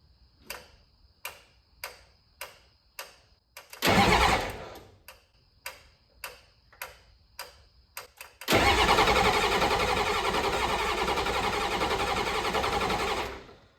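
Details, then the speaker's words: 7.3L IDI diesel just swapped into a 1986 Ford F150, first start attempt with new glow plugs and good wiring: sharp glow plug relay clicks about every 0.6 seconds, then long cranking that never catches; relay controller believed faulty. "all right all right so as you can hear the glob log relay clicking that thing is shot it's got new glow plugs in it um the wiring is good but I guess the relay uh controller set up a shot"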